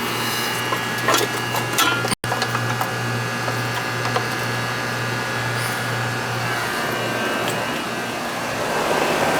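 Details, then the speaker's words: Ruud AC outdoor unit after new 50 capacitor fitted: steady low hum and fan whoosh with no compressor pickup; compressor fails to start, hot start kit considered, cause unconfirmed. "Compressor didn't start. Compressor didn't start. Might have to put a hot start kit on it."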